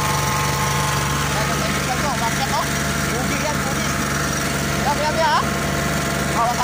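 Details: Oasis150 C/U small diesel that would not start after running out of diesel, now refuelled with the injector fuel line bled: a steady, even idle chug with no misses or hunting; normal running.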